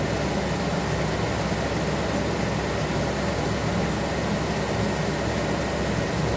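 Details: 1976 Corvette restomod with Holley Sniper EFI, ignition on, engine off, fuses 4 and 5 pulled: steady, even whooshing drone with no pump buzz underneath; electric cooling fan runs, fuel pump not heard, no fuel pressure, cause unconfirmed.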